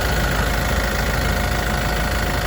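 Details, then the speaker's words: Yale diesel forklift after crank-no-start repair, running a while before fuel filter replacement: steady even diesel clatter with constant low rumble, no misses or surging; normal idle. "She's been running for quite a bit now. About to shut her off and replace that filter."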